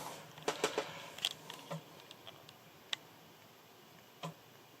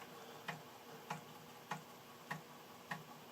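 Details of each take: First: Large Amiga unit after about ten years in storage, screen flashing at each attempt: sparse, irregular light ticks from the floppy drive a few seconds apart; disk never loads, unit may have issues, cause not yet known. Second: Amiga 600 after about ten years in storage reading a copied game floppy: crisp, evenly spaced ticks about every 0.6 seconds over a quiet background; floppy drive stepping and reading normally.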